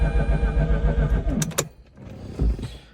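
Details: 2004 Mazda RX-8 track car with makeshift intake manifold, idle problems: rough running stumbles and dies, then brief cranking burst that nearly catches; hot restart struggling to fire.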